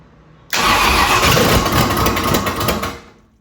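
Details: 1965 Ford Thunderbird, FE 390 V8, after backfiring and turning the distributor; steady fast cranking near four beats a second that never catches; owner suspects ignition timing out of adjustment, possibly fuel delivery, unconfirmed.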